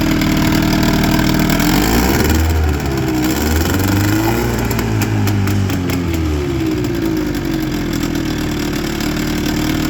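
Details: 1996 Johnson 25 hp two-stroke outboard, brought in for no-start, after timing adjustment: steady crisp buzz, holds and picks up revs cleanly, no misfire or stumble; normal running.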